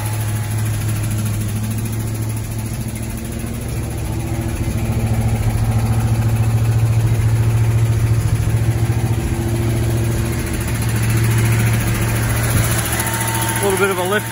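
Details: 1978 Plymouth Volare Super Coupe, first cold start after years of sitting, fuel from a bottle into carburetor: cold, slightly lumpy idle with light quick ticking over low rumble; lifter tick expected to fade when warm.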